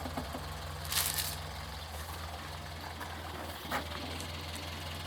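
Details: Restored Morris Minor 1000 convertible idling on a summer day; soft, even, low idle with a steady beat and a couple of light clicks, settled and healthy, normal idle.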